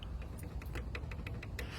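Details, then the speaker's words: Alfa Romeo 4C loose CV drive axle rocked by hand, wheel off, gives light sharp clicks about five a second; clamp broke off (zip-tied), grease dripped out, causing joint wear before axle replacement. "You could hear it clicking a little bit, and that's just because if you look, there's a zip tie on here right now. The clamp broke off. A lot of the grease dripped out, leading to premature axle failure or just wear on it."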